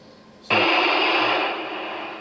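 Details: Icom IC-756PRO on 2 m at 100 W: a burst of hiss about two seconds long after the carrier drops, fading at the end; squelch tail on unkey, traced to this radio's duplex/CMP menu settings rather than the other radios.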